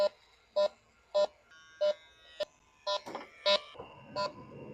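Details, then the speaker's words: 450,000-mile Duramax diesel truck whose AC blows hot; refrigerant was added, then leak check: the detector gives evenly spaced high beeps about twice a second with no fast alarm, no leak found, and the owner suspects it may not be a leak. "I'm almost having a suspicion that maybe it's not a leak I don't know I'm not seeing a leak anywhere my S is not picking up a week"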